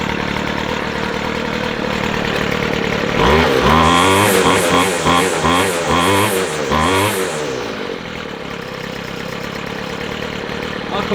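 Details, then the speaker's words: McCulloch 250C XL X-series strimmer after carburettor repair, near-cold start (cooled 5-10 minutes), no choke; pull-cord start catches quickly and settles into steady even low tick-over without stumbling; starting and idling normally. "I'll call that good from nearly cold start. I know it was only 5-10 minutes, but I'll call that good."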